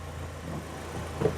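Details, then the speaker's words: BMW 116i E87 N45 1.6L after replacing both VANOS cam timing adjusters for a top-end rattle: steady, even low idle; the gearbox input shaft noise, possibly linked to dual mass flywheel removal, goes away when the clutch is pressed. "And if I dip the clutch, I'll show you. So, you can hear I dip the clutch and the noise goes away."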